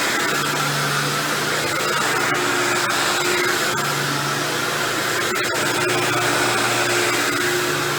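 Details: Dirt Devil Deluxe 8201 upright vacuum running, high motor whine with a rough, scratchy grinding underneath; owner confirmed with the vacuum apart that the noise comes from the brushroll, not the motor, worn dry brushroll bearings.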